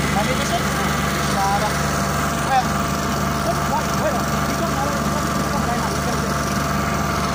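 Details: Oasis150 C/U small diesel that would not start after running out of diesel, now refuelled with the injector fuel line bled: a steady, even drone with no stumbling or surging; normal running.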